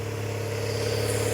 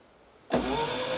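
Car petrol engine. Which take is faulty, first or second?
second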